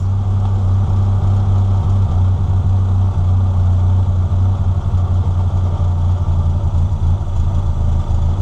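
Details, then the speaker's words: NA Miata during airflow meter (AFM) tuning: steady low idle thrum with a slightly uneven beat that sags lower; idle set too low at the idle screw. "so right now it's a little low I'll probably put it back up a little bit"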